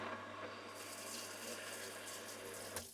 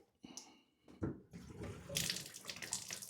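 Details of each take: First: Off-grid well pump, reprimed and pipe taken apart at the pump house: steady rush of water pouring out over a faint low pump drone, then cutting off; pump moves water from well normally, leak suspected between pump house and house. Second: Off-grid private well, morning: thin, uneven trickle from the tap, splashing that comes and goes with silent gaps and no steady stream; water supply failing, cause not yet investigated.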